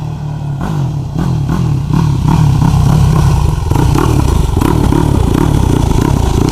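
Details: 2004 Yamaha YFZ450 single, first ride after a rebuild: hard revving with uneven crackles and pops on throttle changes. Popping blamed on needing carburetor rejetting; rider instead credits the power valves.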